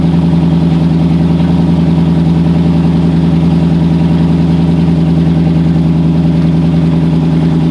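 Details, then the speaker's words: Car that had not run in over two years, 74,000 miles, idling at first start-up: steady, even V8 burble with a smooth low rumble and no knocks, misses or ticks; normal, healthy idle, running like new. "Running like a brand new car. This thing only has 74,000 miles on it."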